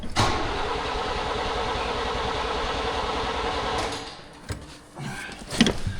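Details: 1938 International pickup, a donor that did run before, with a battery hooked up and a shot of gas: the starter turns the engine steadily about four seconds but it never fires. Owner unsure why, maybe electrical problems.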